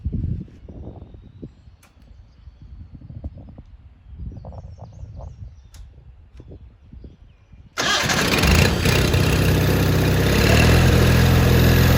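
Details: 1987 John Deere 420 garden tractor, 20 HP Onan gas engine, 1897 hours: quiet clicks, then it cranks, catches at once and settles into a smooth, steady run; starts and runs normally.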